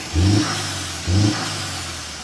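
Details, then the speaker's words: MK4 Jetta with an aftermarket diverter valve loosened to a looser setting, two quick throttle blips each fading with a soft airy hiss as revs drop; valve now appears to vent properly on throttle lift. "all right so this is like a loser setting so let's see if it works now looks like it's working now that"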